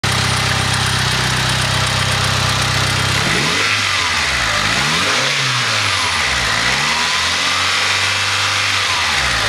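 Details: Mitsubishi 4G63 engine (EVO 3/DSM) blipped up and settling to idle: a knock-like tapping underneath. The owner suspects a spun bearing, unconfirmed.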